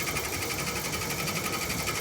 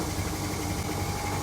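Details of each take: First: Air conditioner outdoor unit: the fan spins with a steady whir and thin high whine but no compressor hum, as the compressor won't start due to a broken wire and burned-out capacitor. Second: Panasonic air conditioner outdoor unit; compressor starts with a steady low hum and a faint rattle from the uninstalled housing, no knocking or labouring; normal compressor running.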